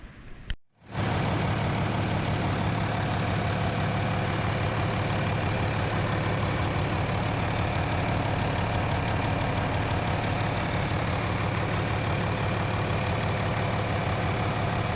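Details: John Deere 4230 tractor diesel test run after replacing leaky injector return line boots and clamps: steady, even idle with a firm low rumble, no knocks or misses; fuel leak fixed, engine running smoothly.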